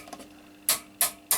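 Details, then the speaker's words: Transworld TW-500 linear HF amplifier during modification: three crisp relay clicks about a third of a second apart as band switch is turned; normal relay switching. "bend switch and maybe you can hear that the relays are clicking when I switch it here"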